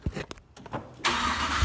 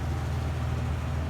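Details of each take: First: 2002 Nissan Frontier V6 started at idle after overheating; owner suspects water pump problems. Exhaust tone is uneven and slightly stumbling: a light misfire at idle. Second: 2002 Nissan Frontier V6 at about 202,669 miles idling; steady even low rumble, no misses or clicks, starts every time after earlier battery clicking from water on the terminals; normal idle.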